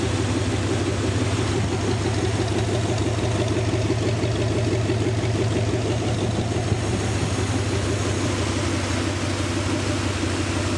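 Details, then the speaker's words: Rebuilt 368 Lincoln Y-Block V8 on an engine run stand, not yet at operating temperature, 70 psi oil pressure, just above 1000 rpm: even, steady idle with smooth low rumble, no knocks or ticks; runs healthy. "well i hope everybody got a pretty good perspective of how well this motor runs it is ready to be dropped in it's a show quality motor"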